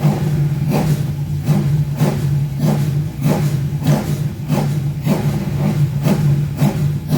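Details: Rover V8 race engine, first start after replacing both head gaskets and setting valve clearances, not yet warmed up: repeated blips rising cleanly back to a steady lumpy idle, no knocks or misses, very smoky; healthy revving.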